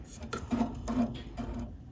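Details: Furnace inducer motor running at higher speed once the system turns on: rhythmic scraping rub and knocking about twice a second as the fan drags against its housing, likely from worn rubber grommets in the motor mount.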